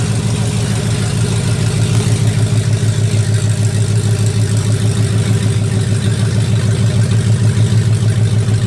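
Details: 2004 Dodge Ram Rumble Bee with swapped 6.1 HEMI V8 from 2006 SRT Charger, open headers, idling: deep even lope, steady beat around two per second, no knocks or misses; healthy idle.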